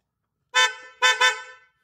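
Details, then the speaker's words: Toyota Avanza horn after wiring a dual-contact horn through a motorcycle-type switch, with the switch light left unpowered to save the battery: one short honk then a loud, clear double honk. The horn works normally. "Lakas, di ba? So, ang ginawa ko lang dito, nag-wiring ako dito mga kalikot."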